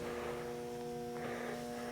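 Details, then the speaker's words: Bluetti AC300 power station with B300 battery, AC charging switched on via touch screen: steady low electrical hum with faint buzz at constant level as the battery charger runs; normal charging hum. "Now this will be AC charging, so we'll go on my touch screen, hit the AC, turn that on. You can hear the battery charger."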